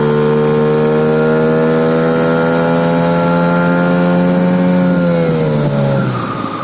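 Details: HANGKAI 9.8 outboard boat motor with an 8.5x9 propeller: high steady whistle at high revs that sags near the end, motor over-revving as the propeller fails to grip; cause suspected, not confirmed.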